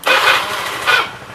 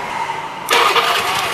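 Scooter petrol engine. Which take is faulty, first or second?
second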